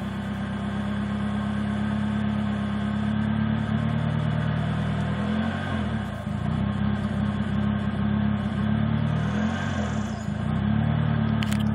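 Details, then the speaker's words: Mazda MX-3 1.6L petrol: rough idle stumbling between idle and 1500 rpm, worse with AC on, sometimes stalls, fine at higher rpm; intermittent, no check engine light; cause unknown. "If I turn the AC on, it's even worse while it idles. It'll even stall out sometimes. Higher RPMs is fine, it's just lower."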